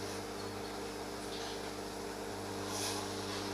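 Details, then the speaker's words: Bajaj Majesty ICX18 induction cooker after repair, powered directly: steady low hum with even fan rush, no beeping; senses pan and heats normally. "देखिए friends वो भी metal को sense कर रही है और heating भी हो रही है।"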